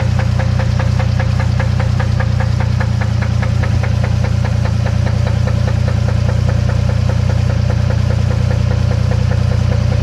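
Sharp, steady ticking knock, about 220 a minute, over a loud even idle rumble; a clear engine knock, cause not yet known.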